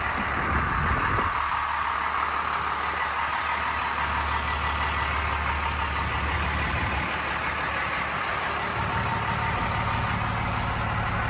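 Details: 1993 Dodge Ram W-350 4x4, 12-valve 5.9 Cummins intercooled diesel, automatic four-speed, 51,414 original miles, just started: even diesel clatter at a settled idle, no skips or heavy knocks; healthy normal idle.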